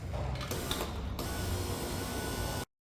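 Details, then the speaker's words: VW Sharan 7N front left window regulator replacement, final test runs with glass reinstalled before reassembly: even motor hum for a couple of seconds, no grinding, clicking or straining, clean stop; window runs smoothly. "And here are the final test runs before I continue to put everything back together. Check that everything works smooth and you're good to go."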